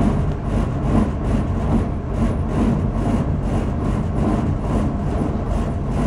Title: 04022012 Furnace Loud Noise.MOV